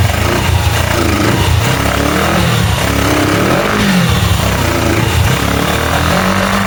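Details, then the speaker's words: Small single-cylinder engine for a go-kart swap: starts only on full choke, idles very high, hunts unevenly and won't pick up cleanly, acting lean; covering a vacuum line with a thumb helps it rev, suspected vacuum leak. "So, it'll only start with the choke all the way on. Idle up really high."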